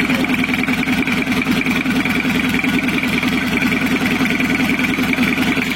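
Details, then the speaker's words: 1982 Toyota Hiace LH11 2200cc diesel, freshly restored with added turbo and 6-speed transmission, first start, oil pressure up, coolant only 38.4° (not yet warm): diesel clatter at idle with a thin wavering turbo whistle that never smooths out; uneven turbo whistle, to be fixed. "suara turbonya kurang halus kurang jangkrik nanti kita akan perbaiki ya"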